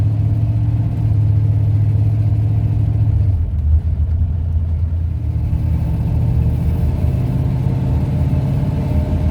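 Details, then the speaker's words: 1971 Ford Torino, rebuilt 302 V8 with C4 automatic, test drive after carburetor tuning with air cleaner refitted: deep, even rumble pulling steadily under load over road noise, no pinging, rattles or knocks. Pulls well and smoothly; carburetor might still need jetting changes. "Well, it's running pretty good. It's not a rocket ship by no means, but the old car pulls itself pretty darn good. So it's good and smooth as far as driving it."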